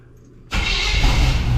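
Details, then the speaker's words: Plow truck that would not start despite good spark to both banks, after all-new plug wires and new spark plugs: silence, then it fires at once and holds a strong, even rumble with no stumbling. It now starts and runs cleanly. "hallelujah, it runs. Just the drainage fluid in it. See if it has any. Well, there we go. The plow truck runs."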